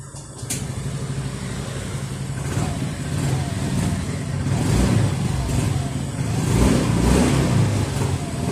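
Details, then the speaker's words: Scooter with a silent start system (SMG / Honda ACG type) started with the self-start switch: the engine catches and settles to an even run with no starter whirr or gear clatter. Normal quiet start. "ये जो scooty start हुई है ये silently start हुई है और इसे silent start बोलते हैं।"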